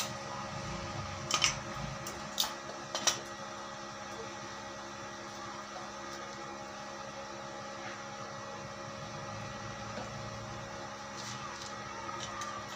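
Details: Daesung ARC120E 900 W stick welding transformer, over two years old, welding 1.2 mm hollow steel: steady, even crackle and hiss holding without breaking or sputtering; rod runs smoothly without sticking, healthy arc.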